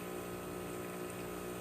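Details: Breville Barista Express espresso machine after pump replacement and OPV adjustment: steady vibratory pump hum holding constant pitch under load while pulling a two-ounce shot, gauge in espresso range; normal pump operation.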